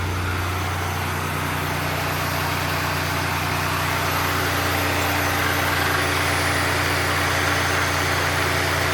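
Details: 1990 Oldsmobile Trofeo 3.8L V6, cold engine, after replacing vacuum lines: smooth, steady, slightly high idle with even low hum, no misses or hiss; normal cold fast idle.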